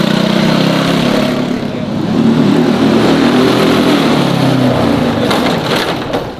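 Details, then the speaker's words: Belt-driven kart with a sticking throttle, revving hard during a ride: a few sharp crackles as it comes off throttle. Popping or backfiring, cause undetermined. "what what was that sound the popping yeah it was just popping"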